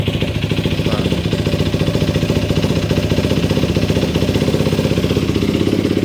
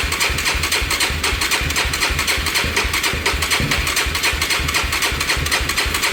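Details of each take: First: Yamaha YFZ450 single-cylinder quad, started on a jump box after fixing a shut-off and no-spark fault: a crisp, even thump at a fast idle that picks up cleanly on a light blip, running smooth and healthy. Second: Yamaha YFZ450 that had shut off and supposedly lost spark (spark confirmed at coil, getting fuel), cranking with choke and some gas: slow, labouring chug about four beats a second that never catches; starter dragging on a nearly flat battery.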